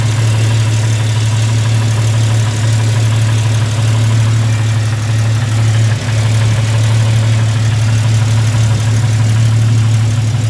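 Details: Jeep idling with a fast sharp tick at firing rate over steady low idle; cracked exhaust manifold leaking, later welded and fixed.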